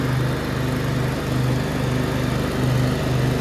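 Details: Briggs V-twin on a DLT 2000 after replacing four pushrods, both head gaskets, one cylinder head and the carburetor: an even, steady low drone under 48-inch deck mowing load with no misses, knocks or rattles. The engine runs smoothly.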